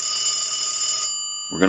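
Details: Brass elephant telephone during checkout after repair, ringing (one of its reported issues): a clean, steady ring holds for about a second, then stops sharply; the bell sounds strong and even. Normal bell ring.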